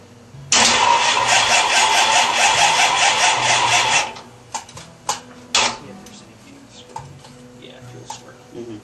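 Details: 1971 Dodge Dart Swinger with a new 360 V8, first start attempt; starter churns steadily about 3.5 seconds at roughly two turns a second and never catches, long crank with no firing, cause not confirmed.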